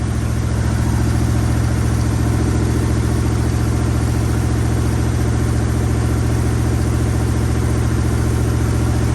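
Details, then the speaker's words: 1965 Acadian Beaumont V8 on a jerry-rigged fuel system, first start since a cold snap. Steady, even low rumble sitting faster than a normal warm idle. High idle. "Let's give her some juice here. Oh, hey! Idling a little high."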